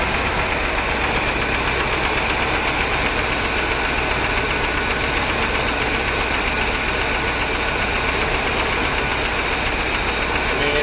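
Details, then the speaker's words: 1973 Corvette 454 big block with rebuilt carb, revived after sitting since the 1980s, cylinder 8 misfiring; idle with an uneven ticking knock about four per second on top, cause unknown, persists after plugging a possible vacuum leak on the number 8 runner. "it still runs about the same though there's also that knocking noise i don't know what to think about that"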